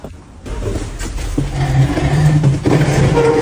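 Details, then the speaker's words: Factory machine motor switched on: a heavy steady hum builds with an overtone creeping higher; electrician suspects first a missing phase, possibly overload, cause not yet found. "ブーンという音はモーターのようだ酸素不足か過負荷か相欠ですか"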